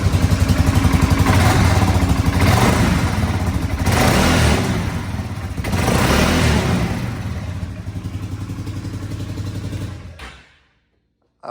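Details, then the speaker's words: Polaris Sportsman 570 at almost 6,000 miles, engine revving up and down with fast rough clatter and rattle from the CVT clutch, heard every time; clutch cover to be removed for diagnosis. "know if the phone picked it up but that's a lot of freaking clutch noise and the four rattles all over"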